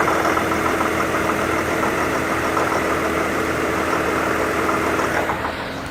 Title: Infiniti QX70 2015 Pinging Knocking Noise